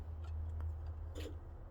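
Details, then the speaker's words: Volvo truck with an ISX engine, not started for 2-3 months, powering up as the key goes into the ignition kill switch; a few sharp, irregular relay clicks over a low electrical hum as everything turns on, normal switching. "You hear the stuff clicking? It's almost like a battery switch. Everything turns on."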